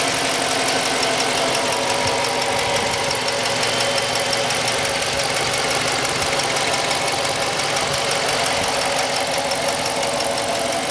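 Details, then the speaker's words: 2016 Dodge Charger Police 5.7 HEMI V8, RWD, 68,000 miles, freshly serviced with new plugs, oil and air filter: smooth, even low V8 idle rumble, no ticking, knocking or clunks. Normal idle. "you guys have it. No funny noises, no funny ticks, no funny clunks. She's solid."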